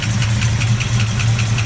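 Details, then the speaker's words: Restored 1969 Plymouth Barracuda V8: lumpy idle with a light, regular tick riding on top, described as a typical Mopar cold tap. Valvetrain cause suspected, not confirmed. "it's got a little bit of a tap but that's pretty much a mopar tap almost every mo part when you turn them on cold got that weird tap"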